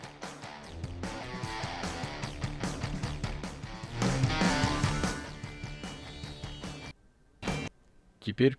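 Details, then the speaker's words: Phonic 1805 mixer, a channel playing music before fader replacement: steady music cuts out abruptly near seven seconds with brief bursts returning; intermittent dropout, suspected bad fader or faulty button. "is the same problem with the sound skipping, either the fader is really bad, or there is a problem with the button."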